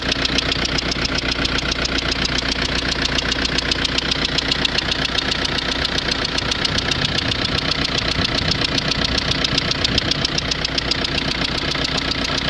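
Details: Renault Scenic 1.9 dCi diesel at idle: sharp, regular ticking at about two and a half per second in an even rhythm, a knock in the engine; owner suspects an injector.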